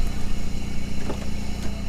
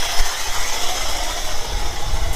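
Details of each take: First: 1997 Camaro V6 rescued from crusher, now on all six cylinders, A/C compressor unplugged, tach inaccurate, hazy exhaust: low even idle exhaust burble with steady pulses, no misses; normal idle. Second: 1997 Chevrolet Camaro saved from the crusher, just started with intake off and parts loose: low lumpy idle rising and falling with dropped beats.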